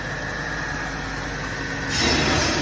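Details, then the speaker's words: BMW SMG transmission after shift sensor repair: steady quiet electric hydraulic pump hum charging the nitrogen pressure accumulator, slight rise near the end, no banging or noise; normal operation. "Sounds good, doesn't it? It's not noisy, it's not banging."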